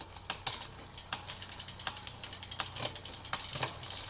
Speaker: all right so there's now that noise you're hearing is my front derailleur that's actually just i have it set to where it rubs so i know hey dummy shift your front derailleur